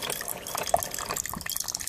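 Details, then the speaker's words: New Keurig 2.0 K450 dispensing a six-ounce cup; gurgling, splashing water over a churning pump with no grinding or strain, an odd churning the owner did not expect, but brewing is normal and the water comes out hot. "like you can hear like churning turn turn turn"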